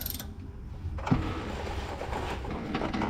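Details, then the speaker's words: Truck brake slack adjuster being wrenched during manual brake adjustment, no engine running. Irregular ratchet clicking as it starts to tighten, needing under 3/4 of a turn; normal adjustment. "And it sounds like it's already starting to tighten up. Saying it doesn't need to telling me it doesn't need to be tightened up."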